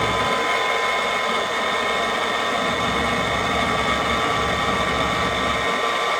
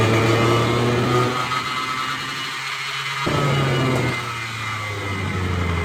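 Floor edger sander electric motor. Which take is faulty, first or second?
second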